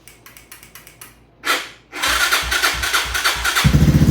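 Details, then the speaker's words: A 2011 Yamaha Raptor 250, unstarted for about three weeks, with a new battery and running straight off the carb: the engine catches with a quick steady beat, but the starter keeps grinding after it fires because the solenoid is stuck. "Yep, that solenoid is bad. So I'll have to be getting a new solenoid. It was still cranking even when it was on."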